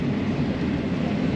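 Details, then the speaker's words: Combine harvesting oats in tough crop: a heavy, steady, low grumble as the machine labours under load; the operator slowed down. "Getting a bit tough there, boy. I can hear it. You can sort of... You can hear it, can't you? It's like a grumbling."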